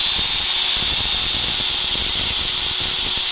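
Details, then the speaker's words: Angle grinder run after servicing and reassembling the gearbox: steady, even high-pitched whine at full speed with no grinding or rattle. Under load the revs rise and it doesn't heat up; it runs fine. "послушайте Да в нагрузку поднимаются обороты не греется порядок"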